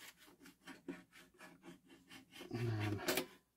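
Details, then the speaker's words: Realistic LAB-420 turntable motor after micro switch servicing: light scraping handling, then short even low hum as the motor runs and stops cleanly; motor works normally. "you can see the switch is definitely off there if I plug it in okay you should hear the motor when I do this"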